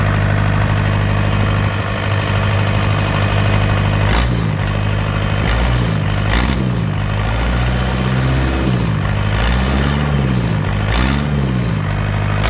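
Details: Yanmar TK486 4-cylinder diesel on a stand, no coolant or radiator: steady low rumble settling into a smooth idle with a few clean revs, all cylinders firing evenly; healthy.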